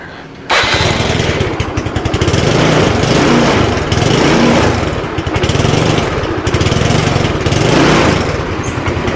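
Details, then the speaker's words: Motorcycle with a weak wet battery after recharging to about 13.4 V, charging 13.5–14 V when revved, restarted by electric starter: starter catches quickly and the engine settles into a steady, even idle with gentle rev rise and fall. "Kita matikan, lalu kita hidupkan lagi. Kita coba starter."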